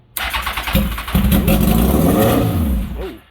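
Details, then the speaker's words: Cheap basket-case Kawasaki ZX10R, started on starting fluid with straight side pipe: fires with a bang, climbs to loud raw rev and keeps revving on its own; cause unknown. "man, that thing's loud. Okay, it runs. Good news. So, I gotta figure out why it's revving up. I don't know why it's revving up."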